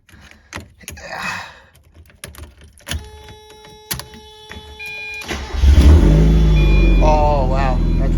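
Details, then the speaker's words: Miata drift car with a newly fitted muffler: cranks, catches after about five seconds, then a deep, steady, even idle with no misses; quieter, better tone, earlier rattle possibly a loose resonator bolt; normal exhaust note. "that's way quieter. Okay, it's definitely still a little loud, which I kind of still wanted, but oh my God, the tone is so much better."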